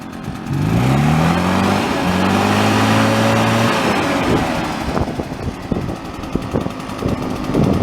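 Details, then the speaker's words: Husqvarna 150BT backpack blower that was bogging lean on throttle, after adjusting the high-speed mixture screw to the middle, slightly rich. Engine climbs smoothly and holds a clean high rev without bogging. Normal revving. "so that the motor revs up nice but that's not too rich or too lean so you want to turn it in and out until it starts running rough at either end"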